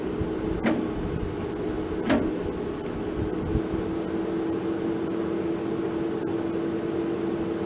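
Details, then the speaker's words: 1947 Farmall M tractor, first start attempt after rebuild with jump box and charged battery; labouring starter hum with heavy thumps seconds apart, engine rolls over far too slowly and won't fire. Owner suspects bad battery; not confirmed. "well guys I don't think that battery was any good because I could not get that thing to spin over any faster than it"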